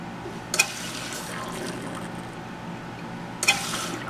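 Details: American Standard toilet whose fill valve hisses on and off and won't seal when fully up, owner is flushing out the valve: a steady hiss of water into the full tank between two brief clunks, the valve not shutting off.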